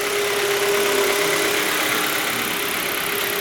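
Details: Engine with a regular light knock, about four per second, over a steady idle, also heard in gear under light load; internal knock that persisted after replacing the engine's mechanical parts.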